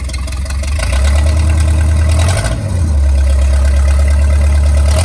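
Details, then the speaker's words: Starboard 454 marine engine: loud, deep idle popping roughly every rotation and stumbling; owner suspects cylinders on one side get no fuel. "I'm gonna see if I can't let you guys catch that pop that it stood on every rotation"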